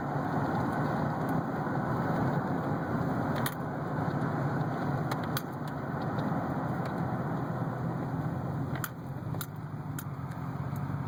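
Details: 2008 GMC Sierra 1500 4WD driving: sharp irregular pops and clicks from the front end over steady road rumble; owner suspects bad wheel bearing.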